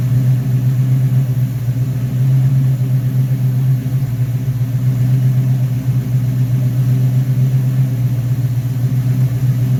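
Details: Rebuilt Rochester Quadrajet 7029202 from a 1969 Corvette (ethanol-damaged fuel bowl cleaned up), first start after rebuild: deep, even V8 idle, steady low burble about four pulses a second, no miss or stumble; normal idle.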